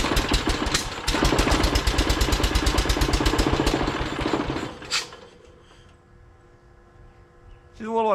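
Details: John Deere 212 garden tractor started after a new solenoid install, with the electric fuel pump running: loud, uneven, lumpy chugging at a fast pulse for a few seconds after starting, then it settles and quiets.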